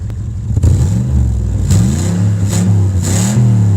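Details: Cadillac 300 HP Northstar V8 with a broken exhaust, just started after a blown fuse was fixed and running imperfectly, revving in loud, blatty bursts with a raw, rasping note; microphone right next to the exhaust break.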